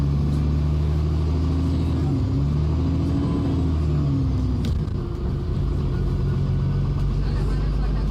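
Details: Stagecoach London E400 Euro 5 bus with Voith 4-speed gearbox on route 5, recorded while riding: steady low diesel rumble with a rough, bubbling gurgle under road noise, cause unknown.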